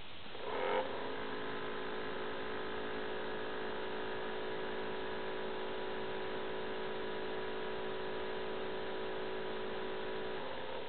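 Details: Acer Aspire 7730G laptop: constant droning hum with several steady tones after start; the cooling fan runs abnormally loud, owner says it is not normal.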